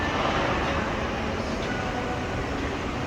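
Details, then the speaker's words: Mall AHU supply jet grill in a corridor, fan on VSD: steady rushing hiss of air with no tone or rhythm; excess flow because ducting to an unfinished tenant's slot grill is blocked by a partition; fix is lowering fan speed via the VSD. "So that's why it has a big flows at this area. If it's supply air to here, but now they not yet start. So the flow will be over and make a noisy sound."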